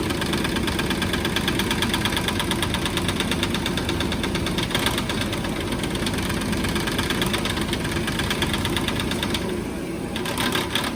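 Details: 2014 Nissan Pathfinder at idle: uneven clanking rattle about twice a second over the engine from the broken radiator cooling fan knocking.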